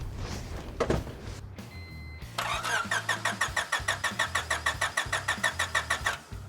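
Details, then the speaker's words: 1996 Honda Civic hatchback, bought as a project after sitting parked (seller said it ran), oil and coolant checked: starter turns engine steadily, about three compression pulses a second, never fires; crank no start, fuel and spark to be checked next. "nothing all right um let's just start checking if there's fuel and spark and all that stuff"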